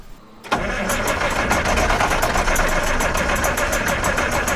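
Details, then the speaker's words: Massey Ferguson 860 combine, Perkins 354 six-cylinder turbo diesel, sat six years, fuel system being primed, ether used: steady cranking three to four beats a second with ragged partial firing and some smoke; hard start from unprimed fuel. "it's trying it's trying really hard did you hear that ah still a little smoke come on Perkins"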